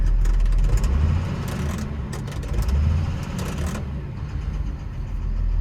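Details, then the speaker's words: Develon DX225 excavator diesel with irregular running, revved up and down: unbalanced, vibrating, rough low beat with audible tap-tap-tap and some black smoke; faulty injector suspected. "yeah you can just immediately feel there it's a bit unbalanced a bit of a vibration well here another listen yeah I can hear that tap tap tap"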